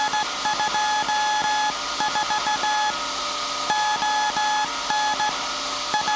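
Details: SAQ Grimeton 1924 Alexanderson alternator, 17.2 kHz VLF CW centennial transmission, punched-tape transmitter soon handing over to manual telegrapher keying; clean keyed tone in steady Morse rhythm over a constant hum; normal CW keying.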